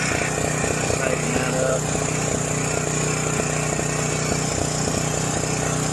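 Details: John Deere 6200-watt portable generator, dry-stored four years since Hurricane Ian, carburetor varnished by old fuel; running at half choke just after start: steady drone but uneven beat stumbling about three times a second; rough running.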